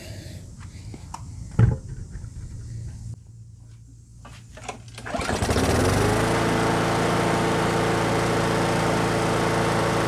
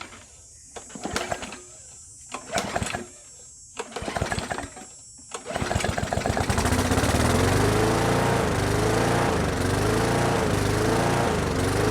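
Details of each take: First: Brute mower with Briggs & Stratton Classic engine after fitting the missing governor spring and adjusting governor RPM spring tension: starts and settles to a steady, even drone with no surging; running great. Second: Brute mower with Briggs and Stratton Classic engine surging: after failed pulls it catches and revs hunt up and down about once a second; choking the intake didn't help; cause was a missing governor spring, not the carburetor.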